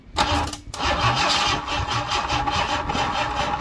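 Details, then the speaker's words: Cortina Mk4 Ghia 2.3 V6 restoration, will-it-run attempt after days of trying: starter churns the engine steadily but it never catches; cranks without starting, batteries draining and running weak, possibly too much fuel. "it turn out the batteries was dying again or just going a bit St I don't know I can't really tell"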